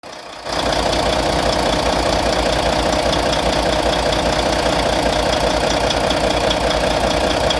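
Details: Volvo VNL D13 diesel idling after injector replacement; fast even tapping about two to three per second over the idle; owner suspects lifter noise, source unconfirmed.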